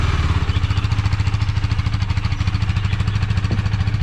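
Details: KTM Duke 390 started first try after two weeks parked, warming up, beside a wall that makes the exhaust boom: steady, even single-cylinder thump about 3.5 per second, no misses or knocks; normal idle.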